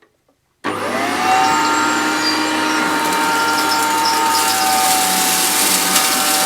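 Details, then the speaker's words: Maytag U5131 upright vacuum, 625–650 W, cleaning short-pile carpet: a steady high whine with thin squealing tones over the motor roar. Owner suspects a worn or slipping belt needing replacement. "I could hear that squeaking, and like I say, I think it's going to need a new belt. I think that's what's causing that."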